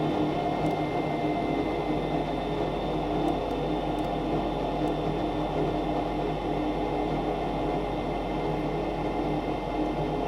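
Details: Steady, even whir with a faint high tone and light ticks as the inducer fan starts on a Goodman furnace GMEC960603BNAC, fired up right after new burners were installed; normal startup, it lights quickly.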